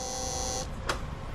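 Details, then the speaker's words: Honda scooter fuel pump motor running louder than normal: thin high electric whine ending in a click; bike runs fine, fix is replacing the pump motor; loud fuel pump whine. "อาการที่ว่านี่ก็คือว่ามอเตอร์ปั๊มติ๊กมีเสียงดังครับทำงานเสียงดังมากเกินไปครับ"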